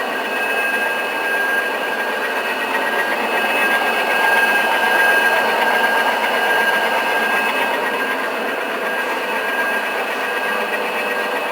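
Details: 3 HP three-phase milling-machine motor converted to single-phase, 110 µF start capacitors (50+60 µF parallel) via push-button; steady even hum with faint high whine, no knocks or surging, running normally after start, about 3.8–4.3 A per line.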